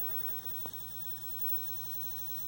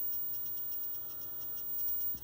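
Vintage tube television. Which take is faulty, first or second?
first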